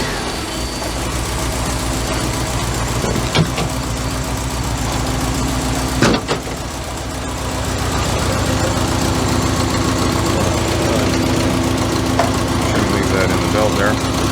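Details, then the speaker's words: 1985 Merkur XR4Ti just restarted after upper intake reassembly; lumpy idle stumbling and surging every few seconds, running rough; white smoke, which the owner suspects is coolant burning after filling with coolant just before starting. "it's kind of idling like a b right now but long"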